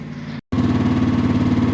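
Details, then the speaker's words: Cub Cadet mower with a Yanmar three-cylinder diesel, cold start: an even, steady idle chug with a smooth low throb and no knocks or misses; normal idle. "she's just purring away waiting for me to get on it so let's go to work"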